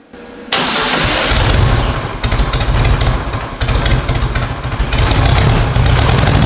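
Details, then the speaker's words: VW air-cooled four-powered custom tracked trike, first start after fueling: engine catches and settles into a steady, even low-pitched chug with no knocks or misses; normal running. "sounding good i'm happy with the way it sounds"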